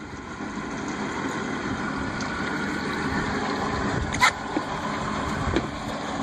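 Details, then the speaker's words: 2005 Yamaha F250 outboard, the port engine recorded as a comparison with the starboard one that sounds throaty: a low, quiet, even idle with only a couple of faint ticks. Normal idle. The starboard's lower unit was later found failed. "as a comparison here's the port motor sounds normal sounds quiet and"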